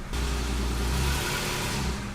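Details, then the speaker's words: Toyota Tacoma after new passenger-side exhaust manifold install, in drive with foot on brake, given a little gas. Smooth, steady rise in engine note with no ticking or puffing, and no leaks found at the manifold. Normal revving under load. "Yeah, sounds pretty good."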